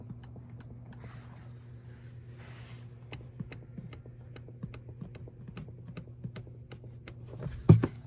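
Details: Rivian empty passenger seat over rough roads: sharp irregular clicks, about two a second, over a steady low cabin drone, from a seat bracket pivot; fixed by lubricating it with Würth HHS.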